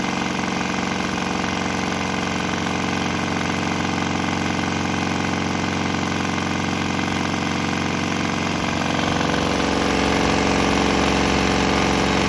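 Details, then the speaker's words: Swan X 165F Chinese single-cylinder diesel on a shipping crate, vibrating heavily, on used canola fryer oil; steady thump about three beats a second with a slight tempo change partway, no misses or knocks; normal running on waste vegetable oil. "Unfortunately, this guy vibrates itself to pieces, and I got it mounted on a shipping crate, so it's vibrating around pretty good. But it seems to run on that. It didn't stop."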